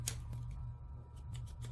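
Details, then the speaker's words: Waterpik water flosser, past its 3-year warranty, after a salt solution was used in it: low steady motor hum with no pumping pulse, light handling clicks; owner believes the salt ruined the motor. "I can hear the motor humming, but it's not working, and I cannot really return it because the warranty is it's 3 years warranty, which is good, but it's already past the 3-year warranty."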